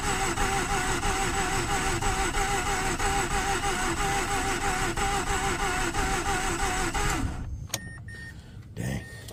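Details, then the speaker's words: 2009 Mazda RX-8 Grand Touring 6-speed manual, 215k miles, not run in about 8 months, weak battery: sluggish laboured cranking at about three pulses a second for seven seconds without catching; slow cranking, low compression suspected, not confirmed. "Battery's pretty weak. I think it sat dead for a couple months."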